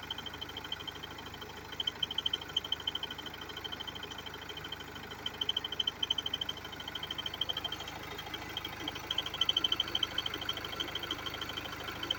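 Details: BMW F30 320d diesel at idle: a fast, fairly regular light ticking, about three per second, rides over the engine. Abnormal engine noise, source unclear.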